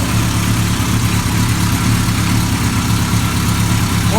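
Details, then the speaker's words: 1980 Kawasaki KZ650 revived after nearly 30 years stored apart, Mac pipe header fitted: steady low, throaty idle with an even beat and no knocks or ticks; the motor sounds good, a normal idle. "Motor sounds good. That grunt that Mac pipe has is cool."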